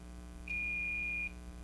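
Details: 1951 Jewel AM radio model 956, top-mounted condenser mic, speaker with riveted audio output transformer being checked: clean steady high test tone under a second, no buzz or rattle; speaker reproduces sound fine.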